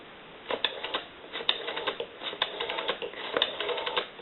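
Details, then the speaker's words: Stromberg Carlson 2-1553 rotary wall telephone after repair, final checks dialing numbers into an analyzer: quick even click trains with short pauses, dial that came in locked up now returns smoothly and properly. "rotary is proper now and it is a lot smoother it didn't turn it all when it came in it was locked up"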